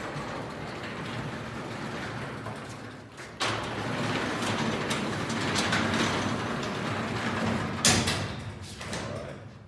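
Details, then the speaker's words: Garage door during a torsion-spring conversion, opened slowly for the first time: a slow rolling rumble with a rough gritty grind and a couple of bangs. Old rollers with busted, wobbly bearings are grinding and are to be replaced. "Now we're going to be replacing the rollers in this garage door as well, so some of that grinding you're hearing is these old rollers."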